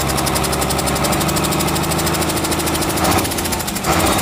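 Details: Komatsu S6D125 diesel on test run after general overhaul (broken No.5 piston, spun No.4 conrod bearing; crankshaft, liners, pistons, conrods, bearings replaced; turbo repaired, FIP and nozzles calibrated); dense even clatter at steady speed, no misses or knocks; normal running.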